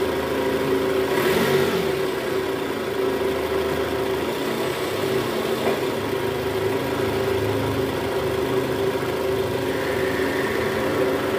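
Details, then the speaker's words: Toyota Estima 2AZ-FE engine after balancer shaft replacement, in gear and revved: steady, even idle that climbs smoothly and settles back with no roughness or knocking; engine runs normally again. "Oke sip, gimana guys? Suara mesinnya sudah kembali normal ya, sudah halus, nggak kasar lagi seperti di awal video tadi tuh."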